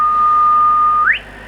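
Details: Kenwood TS700S 145 MHz all-mode VHF transceiver, receiver check with generator at 1 µV on 145 MHz: clean steady whistle holds then slides upward when tuned off; upper/lower sideband rather precise, S-meter indication nonsense; normal SSB reception.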